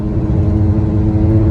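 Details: Kayak strapped on a car roof rack, driving: steady low buzzing drone over road and engine noise from a twisted-free flat strap fluttering in the wind despite being tight; fix is putting a twist in the strap and retightening.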